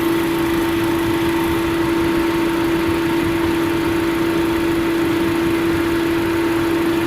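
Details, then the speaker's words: 2005 Chevrolet Astra overheating at 221 degrees: loud steady rush of air with constant hum as fan comes on only in second (high) speed, neither fan running low speed; a fan relay failed, later replaced. "entró el ventilador pero entró en segunda velocidad [Música] se escucha un sonido bastante fuerte"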